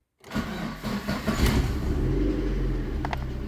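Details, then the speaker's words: VAZ-2112 16-valve engine, warmed up, after the injector seal kit repair for an air leak and a new mass air flow sensor: fires quickly into an even idle that holds steady with no dips or interruptions, even with light throttle. "There is a difference in its operation, namely the idle speed is kept as it should without any failures without any interruptions during idle or when I slightly press the gas pedal"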